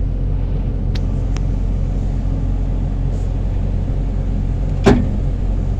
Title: PC70-8 new Replace Back up Sensor cause before hard starting now back to normal